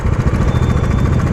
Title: Engine noise issue | Dominar 400 BS6 2021